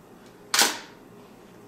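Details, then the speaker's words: Mamiya M645 1000s film camera bought for parts, shutter fired at a fast speed: a single crisp, fast snap with no drag. Normal shutter operation. "it's really fast one 500 really fast how about 1100 really fast"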